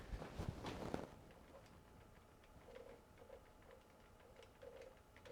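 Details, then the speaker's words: Canon EF 24mm f/1.4 L first version (1997) ultrasonic focus motor: short quiet whirring bursts with each refocus and faint ticking between them, loud indoors but barely audible outside; focus motor noise. "Though for an ultrasonic focus motor, I mean, like I said, it's pretty loud, but I mean, when you're outside, you could barely hear it."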